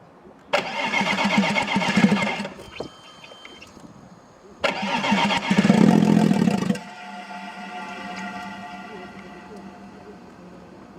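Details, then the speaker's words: Audi A6 C5 2.5 TDI V6 (AKE) diesel, two injection pumps already replaced, injection angle set: catches and runs rough a couple of seconds, then dies abruptly, as if the immobilizer cuts it, but no immobilizer error; start-then-stall, cause not confirmed. "the problem is that the car starts and then stalls, as if the immobilizer turns off the engine, but there is no error on the immobilizer"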